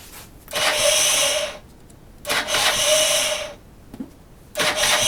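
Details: 2005 Derbi GPR 50cc that won't start: three roughly one-second cranking bursts with a high starter whir and short gaps, engine never catches; cranks but won't start.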